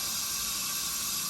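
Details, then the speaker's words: Leak-down test on a 7500 RPM small block Chevy 355 during reassembly, gauge set to 100: constant sharp air hiss as air escapes past the piston rings into the crankcase, about 22.5 percent cylinder leakage. "it's basically going to gauge how much pressure is coming back into this to determine the cylinder leakage the more air that is escaping uh you know provides less back pressure which indicates more cylinder leakage"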